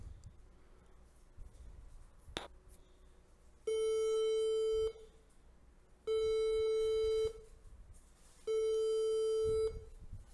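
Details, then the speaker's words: Newer HP all-in-one desktop (10th/11th gen Intel or newer) on a universal, non-genuine adapter; replacing the adapter didn't help. Three long low beeps then four short higher beeps, repeating, and it won't boot. "because every time the customer tries to use to plug it in they always just get these beeping codes and for some reason just really annoying them and obviously they can't boot to it because it gives beep codes every single time"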